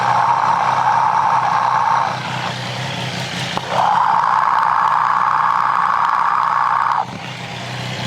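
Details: Triumph 765 motorcycle engine with a reported abnormal noise, heard through a mechanic's stethoscope near the timing gears: a light, fairly regular tick, roughly three per second, over the engine hum; source unclear.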